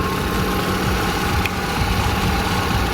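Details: Kia Visto (Hyundai Atoz) whose power steering hummed because fluid was below minimum. After topping up the fluid it holds a smooth, steady idle with only a faint pump hum. The steering rack seal is suspected leaking and planned for a repair kit.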